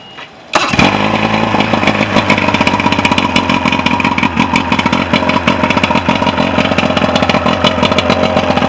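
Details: Mercury 125 outboard after a no-start fixed with a used stator, plus a carburetor rebuild, new plugs, a fuel pump kit and a fuel filter: it starts on the first pull and settles into an even, steady buzzing run with no misses.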